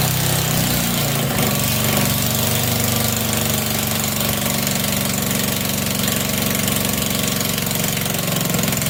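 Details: Unbranded 1100-watt small single-cylinder generator (6/12 V DC output), run indoors in cold weather powering lights: loud, raspy, rapid popping exhaust at steady speed under load, running evenly with no muffler.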